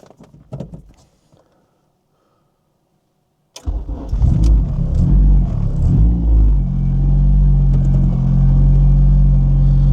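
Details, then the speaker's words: Acura RSX with K24 swap and Type S oil pump, first start after timing chain install (4-bar K-tune MAP sensor retuned): engine catches and idles steadily with a thin constant supercharger-like whine from the timing cover, traced to the wrong oil pump chain guide. "we did get the car running, but in that video you can hear a almost like a whining noise. Like it almost sounded like it had a supercharger or something on it."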